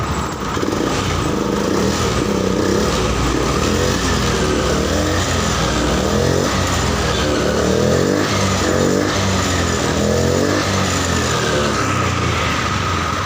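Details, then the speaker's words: Honda Beat POP injection scooter that died suddenly while parked, cause a faulty side-stand switch, now jumpered: engine runs smooth and steady with no misses or knocks, starting regardless of side stand. "seperti itu ya permasalahannya jadi permasalahannya dari switch standar sampingnya sendiri dia tidak mau bekerja ya waktunya tapi ini karena sudah di jumper jadi Walaupun dia nanti tidak mengikuti standar samping walaupun seperti ini dia masih motor masih bisa hidup ya tidak bermasalah"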